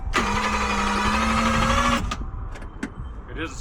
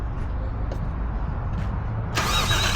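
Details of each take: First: 1JZ-swapped Toyota Cressida that sat three years, new battery: the starter whines and turns the engine slowly, about three strokes a second, for two seconds. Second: 1JZ-swapped Toyota Cressida after a new alternator was fitted: a low rumble, then the starter bites in and spins the engine briskly and evenly with no drag; normal cranking.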